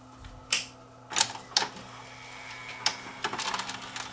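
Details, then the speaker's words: Samsung VCR that was totally dead with a tape still threaded, powering up after a blown 1.6 A fuse was replaced: sharp irregular clicks and snaps from the tape mechanism over a faint hum; normal power-up mechanism clicks. "Okay, the moment of truth. Will it or will it not power up?"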